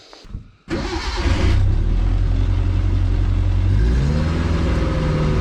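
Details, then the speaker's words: Fiat (Fića) being prepared for a long trip, started after filter fitted and oil checked: short crank, then steady even idle with no valvetrain tapping; valves quiet, all fine. "Nema ništa da tropka, znači ventili su smireni, sve je u redu."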